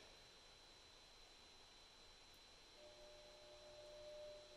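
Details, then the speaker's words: Hasty Heat 24HTH20D fireplace grate tubular heat exchanger blower fan at low speed: quiet steady airy hiss with faint constant high tone, running smoothly, nothing abnormal; gets much noisier at higher settings. "so that's low speed and then uh you can turn this thing up to be pretty pretty noisy but it does blow a ton of air out of uh out of the other end"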